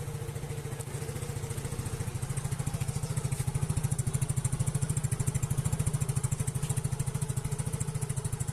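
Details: Yamaha Mio Soul GT 110cc scooter idling steadily and evenly with no misses or knocks after reconnecting rat-chewed fuel pump wiring; fuel pump now hums under the tank, running properly.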